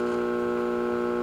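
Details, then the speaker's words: Late-1960s Rittenhouse RM20/RM22 radio intercom master station. Constant layered, slightly harsh buzzing hum, unchanging; mains hum, cause not confirmed. "the background hump even more"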